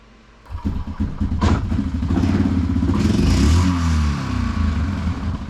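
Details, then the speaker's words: Neglected Yamaha Grizzly 660 ATV, idling without choke: lumpy, uneven single-cylinder beat with some clatter, never smoothing out. Rough running, cause not yet found. "Okay, it's got a little something something going on. I want to see if that'll uh iron out."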